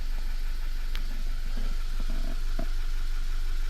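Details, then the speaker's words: Engine idling after a cylinder misfire was diagnosed and fixed without a scan tool and codes cleared: smooth, even idle with a steady low beat and no stumbles or skipped firing; the earlier miss is gone. "all right but the missing that we had before for is gone right and that's how you diagnose a simple problem without the use of the scan tool right"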